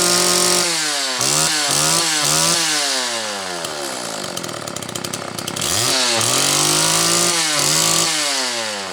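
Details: Homelite XL chainsaw on its final test run and tuning after the Zama C2S-H5A carburetor rebuild with the inlet needle spring correctly placed and a DJ7J plug: a crisp high buzz snaps cleanly up and down through repeated throttle blips and falls back to a steady idle; running healthy.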